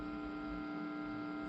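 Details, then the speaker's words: Orange guitar amp after moving it a few feet from a modem that caused static: low steady electrical hum with a faint buzz, no crackle or static; this buzz is always normal for the amp. "Yes, that buzzing is normal. It always buzzes like that, but I'm not getting really any major"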